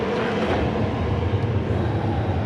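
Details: Classic Edge 750 wood boiler at start-up after annual cleaning and furnace temperature sensor replacement: deep, steady roaring rumble with even hiss, no pops or surging; water at 108°, reaction chamber near 1,400°, normal hot clean gasification burn.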